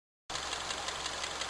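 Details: Honda K20A engine at light idle with gentle throttle: sharp, fast, evenly spaced metallic tapping from inside the engine; knock cause not yet determined.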